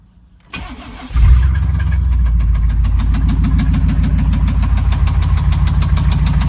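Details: 5.7L V8 cranks, fires and settles to idle with a deep, regular knock about three times a second under the rumble: rod knock.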